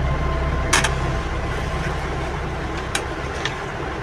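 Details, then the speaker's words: Rechargeable charger fan whose damaged original circuit was replaced with a controller circuit and regulator, powered from a battery. Even whirring rush from the blades with a few light clicks; the small fan motor runs steadily after repair. "এই দেখতে পাচ্ছেন ফ্যানটা চলতেছে। এই দেখতে পাচ্ছেন ফ্যানটা চলতেছে।"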